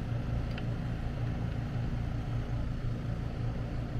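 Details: AC condenser running after repair of a mounting screw shorting a high-voltage leg at the disconnect (intermittent breaker trip, no cooling). Voltage checked at 239 V. Steady low hum, even fan rumble, no clicks, buzzing or stalling. Normal running.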